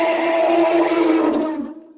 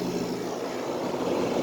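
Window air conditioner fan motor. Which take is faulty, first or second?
first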